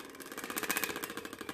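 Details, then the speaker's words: Porsche Cayman/Boxster at idle makes fast, light, even ticking like a card flicking bike spokes, from debris touching the intake fan; the fix is free and easy. "hitting a bike wheel it's just ever so gently and it sounds like it's hitting some type of fan or wheel well that is kind of exactly what it is"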